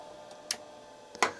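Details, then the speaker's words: Old RLL-certified hard drive (about 32 MB) in a Laser XT Turbo clone spinning up before controller hookup: faint steady whine with a couple of crisp head clicks; sounded doubtful at first but fine once running. "let's see if it even spins up whoa does doesn't sound super good though i guess it sounds okay right now that it's running"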